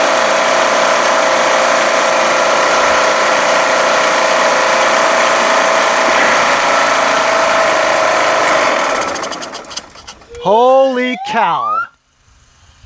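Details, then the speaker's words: Craftsman LTS1500 lawn tractor repowered with a rebuilt 17.5 HP Briggs OHV single-cylinder made from two blown engines, first start after rebuild, run with no oil in it: engine runs hard and steady at high speed for several seconds, then dies. "surprised it ran without oil it's a terrible habit I have absolutely terrible habit I I never remember to put the oil in"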